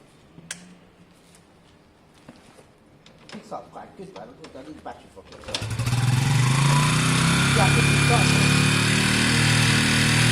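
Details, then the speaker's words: WK RT 125 single, improved running, choke on: after handling noise it fires up and runs with a quick, even thump and steady pitch, very quiet and smooth; engine running normally, clutch not selecting gear thought to need adjustment. "okay guys as you can hear it sounds great it's very quiet it's smooth the choke is on at the moment um which is fine"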